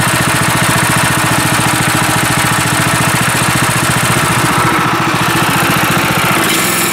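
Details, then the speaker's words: Sawmill engine after an adjustment, under throttle: fast, even firing pulses holding steady at high revs with no misses or surging. It runs better than before. "oh that's better yeah that'll be better i think it would have just brought before and had a problem problem with that so beautiful"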